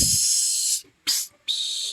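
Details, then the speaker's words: Hiss from a holed vacuum line to the heater core control on a Mercury Mountaineer/Ford Explorer 5.0 with no heat or cold; three sharp bursts of airy hiss with little engine rumble, suspected vacuum leak; hose replaced. "any nice noise right there you have a vacuum leak and that's what your problems were"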